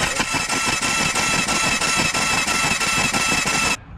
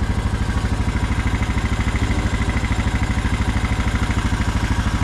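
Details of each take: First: Honda Rubicon ATV stalled in water and sucked water down the exhaust into the cylinder (hydrolock); with the cracked spark plug pulled, the engine cranks fast and evenly at about three beats a second with no compression strokes to blow the water out. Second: Honda Rubicon ATV after stalling in water and swallowing water into the exhaust and oil, now with new filter and new spark plug fitted: fires right up, steady even single-cylinder thump at idle, no misses or knocking; normal idle.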